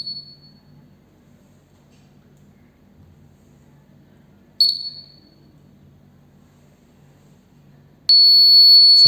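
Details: Arduino Uno buzzer switched on by sending 1 via HC-05 Bluetooth app after fixing a loose connection: short high beeps near 4 kHz, then a steady shrill sustained tone; buzzer sounding normally.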